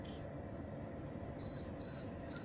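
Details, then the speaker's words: Holden VZ Crewman with Hayman Reece towbar, after resoldering the reed switch wire: in reverse, short high beeps repeat about twice a second over a quiet cabin hum as the reversing sensor detects someone behind; working properly. "Reversing sensors come on and it's picking me up behind the vehicle."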